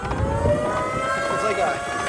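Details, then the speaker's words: EGO Power+ T6 TR4204 42-inch 56V fully electric riding mower at highest drive speed: steady whine with several high tones from the drive motor over light deck shaking-type rattle owner isn't concerned by; normal motor whine. "It's like it's just lifting and a good portion of the noise is coming from the engine. That sound, that's engine sound."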